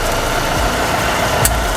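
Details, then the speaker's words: Car with a steady low drone and faint mid-pitched hum while running, traced to a damaged wheel bearing, which was then replaced and the noise gone; the mechanic notes such a sound rarely comes from a wheel bearing. "bunyi tu sebenarnya berpunca daripada Wheel bearing dia yang Dah rosak"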